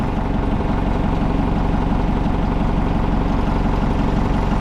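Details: Old Hitachi excavator diesel, abandoned possibly over 10 years, started: even, steady idle at about four firing beats per second, no hunting or stumbling; holds without stalling.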